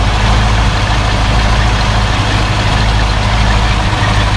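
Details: 1972 Mercedes-Benz 280SE 4.5 V8 after adjusting the right-bank valves for a slight tappet noise, cold start, in park at about 1,000 rpm, heard outside: smooth, steady low rumble with no ticking from the top end; quiet and healthy.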